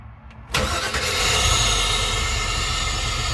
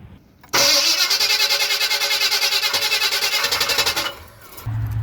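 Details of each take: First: Small-block Chevy V8 in an ambulance, heard from inside the cabin just after a new 3hp mini starter replaced the old one, which had sounded sickly after an EFI install. A brief quick crank, then it fires straight away into an even, strong idle: a normal engine start. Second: Slow, labored cranking at about three uneven pulses a second for four seconds before a small-block Chevy V8 in an ambulance fires, just after an EFI install; the original starter sounds sickly and dragging, before replacement with a 3hp mini starter.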